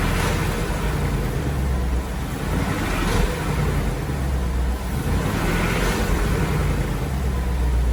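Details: 2018 Ford Mustang GT V8, after 15W-50 oil plus Ceratec additive: even quiet idle with a soft steady rumble and no ticking; the earlier engine tick is completely gone.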